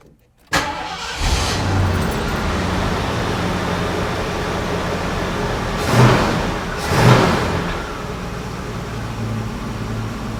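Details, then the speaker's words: Mercury Cougar V8 just fitted with a 2¼-inch Mustang H-pipe exhaust kit, replacing the old exhaust: starts after a short crank and settles into a mellow, even idle with deep soft burble; one tiny pinhole leak felt; normal. "Nice and mellow. Sounds good."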